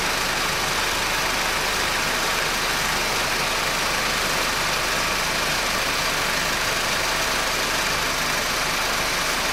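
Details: Honda R18 petrol engine idling with an intermittent dry, hissy "zzzzz" buzz over it from a worn belt tensioner bearing.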